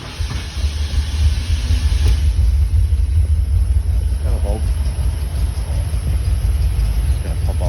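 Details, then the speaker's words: Fox body Ford Mustang test car with a customer's A3M manual ECU: deep, uneven rumble, stumbling and half-catching without settling to a clean idle; hard start from cylinders flooded with fuel dumped by the computer. "it's having trouble cuz whatever your computer dumped down the cylinders"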